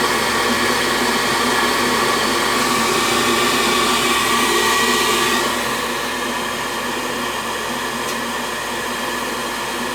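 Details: Propane 90+ gas furnace, four burners, that ignites once then shuts off on next cycle, test firing with no makeup air, drawing air from the basement: even, steady rushing hum with no surging or cutting out; running normally this cycle.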